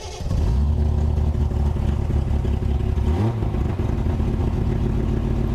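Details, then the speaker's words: Early 1974 Triumph TR6 six after years of storage, cold, on choke at raised fast idle after priming fuel: strong even low rumble, no knocks or misses; oil pressure about 50–55 at this high rpm. "actually sounds really good. Wow, I'm surprised. Okay, oil pressure is about 50, 55 maybe, but this is like pretty high RPM and the engine is still cold."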